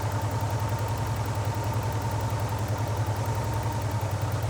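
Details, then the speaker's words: Porsche 944, US spec automatic, warm, idle stabiliser defeated via diagnostic-port jumper: turning the throttle-body idle screw clockwise lowers revs; steady even idle, soft beat about three and a half per second; idle speed set low. "okay okay so rotating it clockwise is taking us down"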